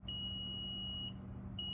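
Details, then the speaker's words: Rheem hybrid heat pump water heater: high steady alarm beeping over a low hum, error code A108 condensate blocked, from a clogged condensate line. "recently I started having issues with re hybrid heat pump water heater it started sounding off an alarm and displayed error code a108 condensate blocked unclog line"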